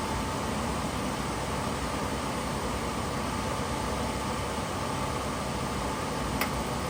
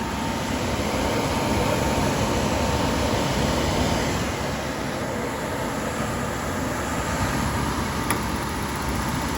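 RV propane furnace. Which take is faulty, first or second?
second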